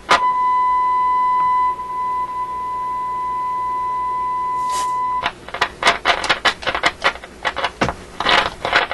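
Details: RCA A24 antique vacuum tube radio: steady tone, then irregular scratchy crackles as the dial moves; suspected the tuning capacitor, slightest turn pushing it on and off frequency, with scratchiness possibly from the capacitor itself.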